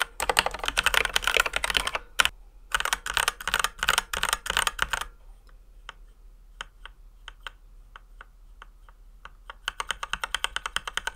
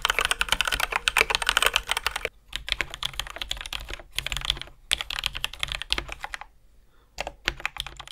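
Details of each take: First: Ducky x HyperX One 2 Mini keyboard, stock unlubricated switches before modding. Sharp, high-pitched clacky keystrokes with hard top and bottom-out, a faint metallic ping and scratchy travel. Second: Ducky x HyperX One 2 Mini after switch modding, lubing and heavier springs. Fast, even typing with soft, mellow, dense clacks and no metallic ping; quiet, healthy keyboard.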